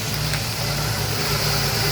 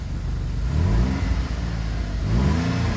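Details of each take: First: GM 3.6 replacement engine after a crank-no-start problem, now running and burning off oil: steady even idle, smooth low hum with an airy hiss on top, no knocks or misses. Normal idle. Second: GM 3.6 engine just replaced, cold start after crank/no-start trouble, burning off oil: high fast idle with revs swelling and sagging every few seconds, runs "real funny"; temperature climbing unusually fast; cause not confirmed.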